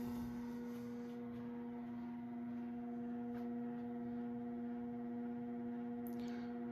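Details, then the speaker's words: Steady electrical buzz over a quiet fan hum from the variable speed control of an early-1980s CEC Moss Heirloom Olympus 52-inch ceiling fan at low-to-mid speed, above about 55 RPM; quieter at 165 RPM top speed. "Still quite noisy."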